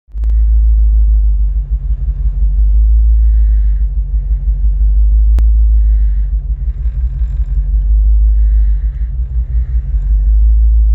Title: Help needed - Landrover 3.9V8 rough idle